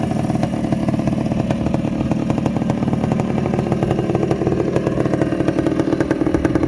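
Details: 1984 Honda ATC250R air-cooled two-stroke three-wheeler, engine just rebuilt with new crank bearings and a fresh top end, after early start attempts with a suspected bad ground: crisp, even crackle with steady firing ticks, no knocks or misses; runs cleanly and healthy.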